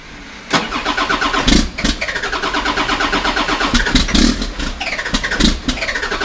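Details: 1991 Ford F350 with a swapped CAT 3126 diesel, before the oil pump replacement: long rhythmic cranking for seconds with only uneven firing before it catches; a hard-start problem later fixed with a new oil pump.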